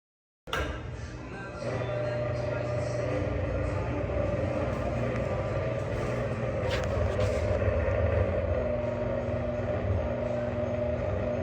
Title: Rattley/Grumbly/Bad Bearings Interesting Greenhack Exhaust Fan